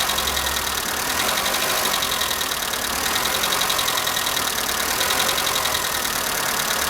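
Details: Skoda Fabia at cold morning idle: light, fast metallic top-end ticking over steady idle; owner suspects hydraulic lifters, but dealer replaced all 16 in three visits and the noise persists; cause unconfirmed.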